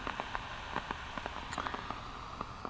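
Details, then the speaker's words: LM1875 amplifier chip run open loop at very high gain (about 90–95 dB) gives irregular sharp crackles and pops over steady hiss. This is popcorn burst noise from a defective IC, reportedly caused by manufacturing contamination or silicon defects. "so what causes that well it's due to manufacturing problems from one thing I read about it can be caused by you know if the you know the the process room is not completely clean and there's contaminants"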